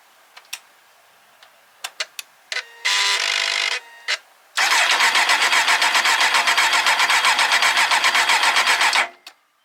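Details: 2003 Kawasaki Z1000 motorcycle left outside under covers for six years, mice got in, first start attempt: a few clicks and a short burst, then even rhythmic starter cranking about four beats a second with no catch; cranks but won't start.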